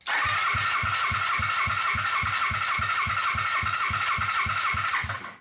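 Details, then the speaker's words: Warmed-up Suzuki GS500 twin from a mini buggy build, compression test on the left cylinder: steady starter whir with even chugs about three and a half per second, weak push per stroke; still 90, low compression, cause unknown. "huh okay so it's the same it's it's still at 90 huh that could mean that um what does that mean I don't know"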